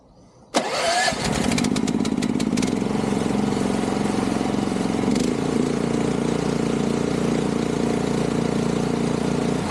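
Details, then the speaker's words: DH13 420cc track dumper, sat over a year, after cleaning the plugged carburetor idle port, cold start on choke at about half throttle: brief crank, catches and settles into a steady even idle without hunting; normal idle. "There we go. Now, now it actually idle."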